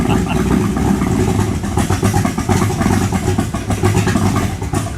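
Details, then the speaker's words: 1923 T-Bucket kit car V8 on a cold start: rough, uneven idle that stumbles, sags and fades out; cold engine stalling, needs choke. "No. Come on, man. She needs a choke. She needs a choke."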